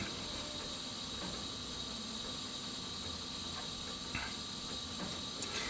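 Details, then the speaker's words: Gas furnace with the thermostat calling for heat, after spark ignition of the pilot: steady soft pilot hiss with no whoomp of the main burners catching; mains won't light, and the pilot gives up after about a minute. "Now the pilot light is burning and waiting to light the mains, but the mains won't light."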